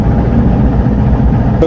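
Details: Freshly rebuilt petrol engine (full overhaul, timing set, new rings) fires and settles into a steady, even low idle with no knocks or misses, kept at low revs just after first start; a slight exhaust leak is noted.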